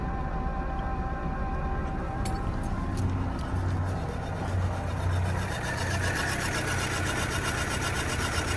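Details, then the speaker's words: Fire-damaged VW Caddy truck (ABA swap build) starting after wiring was corrected; catches and settles into a steady, even low rumble with no surging or shaking; normal idle, running right. "But guys, it is finally running right. Oh my god. A good sounding motor right there."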